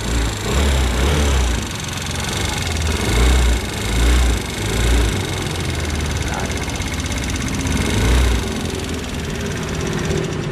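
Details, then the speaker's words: Attila FI fuel-injected scooter, cover off, started before repair: busy rattly clatter over a deep drone; mechanic suspects valve/tappet knock or worn cylinder and piston, unconfirmed. "Cái nguyên nhân kêu này nếu như mà các dòng xe máy phổ thông ấy thì anh em chúng ta đang nghi ngờ vấn đề là một là do su bắp, dơ gõ, và hai là anh em chúng ta đang nghi về quả hơi, quả bít tông của nó nhá. Đấy, lòng xi lanh và quả bít tông nó đang bị kêu."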